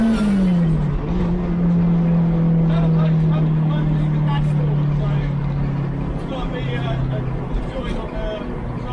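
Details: K20 turbo Ford Escort with a new ECU, loaded using launch control: the engine pulls under boost with a buzzing, humming tone that drops in pitch as revs fall; owner suspects a boost leak at the V-bands or boost pipe joins.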